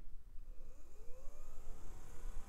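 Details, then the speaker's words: VRM fan, likely not stock, in a Packard Bell Multimedia C115A desktop spins up with a soft, steady whir rising smoothly in tone, no ticking or grinding; sounds good, only needs cleaning. "okay it sounds good it just needs a [Music] cleaning and that will do"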